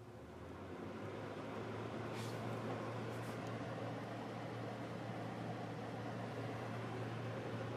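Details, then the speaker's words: Wall heater on its first start of the season in heat mode on low fan, burning dust off as it warms: steady low hum under a smooth, even fan rush, no rattles or scraping; normal heating operation. "Getting warm already. I can smell it burning the dust off."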